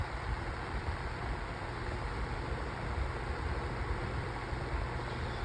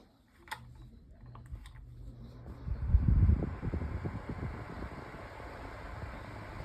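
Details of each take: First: 8-inch Sunbeam table fan running loudly on high with a rough, fluttering low rattle because it is out of balance. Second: Sunbeam 8-inch oscillating table fan on its low setting. A few switch clicks, then a soft, steady whir with no knocks or rattles; noticeable but not overly loud; normal low-speed running.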